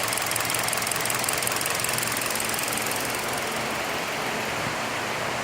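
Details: 2017 Hyundai Elantra with code P0301, a cylinder 1 misfire. The idle has an uneven, stumbling beat with a dropped pulse every couple of seconds; one cylinder isn't firing because of a bad ignition coil.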